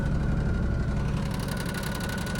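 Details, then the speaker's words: Kei car at a Japanese auction, grade 3.5C, 221,000 km: steady low idle with a light, fast metallic rattle on top, more noticeable toward the end; source unclear, though the engine otherwise sounds pretty healthy. "Bit of a rattle. Actually sounds pretty healthy."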